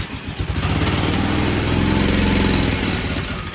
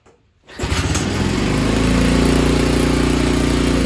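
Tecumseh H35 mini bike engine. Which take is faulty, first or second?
first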